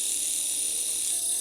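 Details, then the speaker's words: Lace Nano magnetic-drive rotary tattoo machine with its power supply on the lowest setting: a thin high buzz that wavers and never settles into an even hum. It sounds inconsistent. Uneven running at low power. "So this would be power supply on the lowest setting and machine is already running. Doesn't sound too great at the lowest setting. It sounds very inconsistent."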